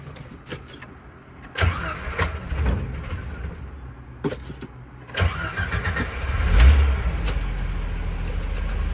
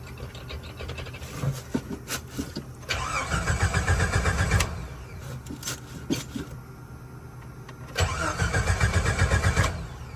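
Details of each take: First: Repaired 1988 Jeep Wrangler YJ converted to electric fuel pump, rewired, new fuel filter: slightly slow crank, then catches cleanly and settles to a steady, lower idle; starts better than ever, healthy start. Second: 1988 Jeep Wrangler YJ after conversion to an electric fuel pump: starter cranks in bursts for several seconds without catching, probably because the carburetor bowl had run empty, then it draws fuel; the accelerator pump is suspected not to work.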